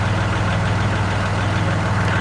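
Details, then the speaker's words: Kubota Grand L3560 HST tractor with BH92 backhoe reconnected, earlier loud hydraulic noise and vibration after backhoe removal: steady diesel idle with light clatter, no hum or whine, hydraulics quiet and normal. "let's see what we get now no issue no issues no noise no hum no problems whatsoever"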